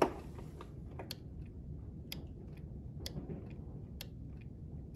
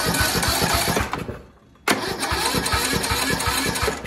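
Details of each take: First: Craftsman tractor, Briggs & Stratton single-cylinder OHV engine, cranks but won't start. With power confirmed at the fuel shutoff solenoid on the carburettor bowl, it clicks crisply as the key is cycled on and off, about once a second; the solenoid works. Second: Craftsman (Sears) tractor single-cylinder engine, battery 12.09 V: the starter spins steadily with about four even compression pulses a second, pauses, and cranks again without catching; crank-no-start caused by a carbon-fouled spark plug, possible head gasket suspected.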